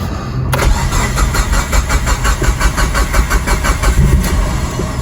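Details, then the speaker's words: Built Mitsubishi Evo 8, first start as received with idle air control valve disconnected: cranks and catches, then runs lumpy, surging and hunting; won't stay running without throttle. "Yeah, she won't stay running without N throttle. She won't stay running."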